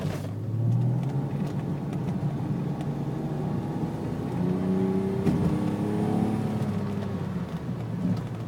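Engine runs with uneven, stumbling pulses that don't settle as the revs rise and fall, consistent with a misfire.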